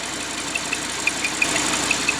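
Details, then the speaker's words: Audi R8 V10, hot idle, heard from below: sharp high ticks, three or four a second, over a hissy idle, sounding almost like a seized engine; grease sprayed at the crank seal retainer tests whether the crank rubs the retainer. "이게 지금 진짜 어떻게 보면은 엔진이 소착된 소리처럼 나는데, 크랭크 리데나 쪽으로 우리가 구리스를 뿌려서 리테이너 쪽에서 나는지 한번 확인해 볼 거예요."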